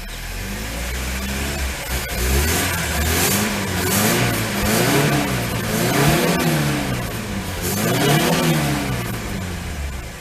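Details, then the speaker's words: Lada 2102 carbureted petrol engine started after a year standing: revs in uneven swells, stumbling on the way up; owner suspects dirt in a carb jet and very stale fuel, carb to be taken apart. "must have some dirt in the carb I reckon at one of the Jets I mean is running on very very stout fuel"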